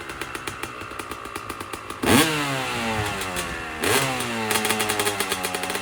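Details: 2001 Honda CR250 two-stroke started after pre-ride maintenance; crisp ringing idle, two quick throttle blips rise and fall cleanly with no bog or misfire: normal running.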